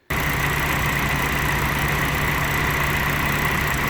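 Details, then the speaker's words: Jeep petrol engine at idle with a fast, constant light tick on every combustion cycle, not a single valve, after valve guides, valves and tappets were replaced and adjusted; traced to a faulty PCV valve. "so that ticking all the time then means that it was happening on every combustion cycle so it was happening on every single cylinder"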